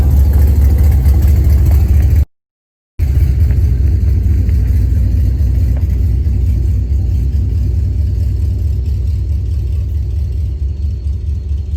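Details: Hennessey Camaro V8 at start and light revs after a wash: deep, lumpy idle with a loose puffing edge from an exhaust leak on the passenger side after the long tube headers.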